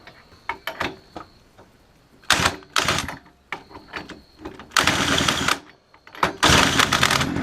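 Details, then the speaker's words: Dump-find mini chopper's small two-stroke engine, spark confirmed with plug fitted and switch on, cranked after mixed fuel was poured into the cylinder: short bursts of fast, crackly firing between cranking as it catches on the primed fuel. "Okay, added some mixed fuel in it, and I'm going to see if it'll hit."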